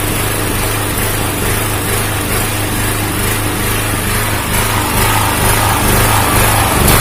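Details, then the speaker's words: Honda GX160-type engine on a 2000 W generator: the single-cylinder pitch keeps drifting up and down instead of holding steady. Engine speed is hunting, cause not yet known. "ya begitulah teman-teman sudah melihat khasnya naik-turun naik-turun"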